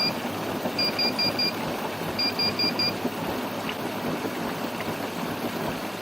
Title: Bosch Serie6 WASH+DRY 7/4 KEEPS BEEPING